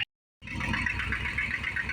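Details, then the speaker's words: 1975 Dodge Power Wagon 318 V8 idling soft, even and quiet just after a cold winter start, little valvetrain noise; running super rich with the choke on, oil smells of gas so the mixture is probably off, and a manifold bolt missing. "other than that seems to sound okay I don't hear a lot of Val train noise it is running super rich part of that is the choke is on right now"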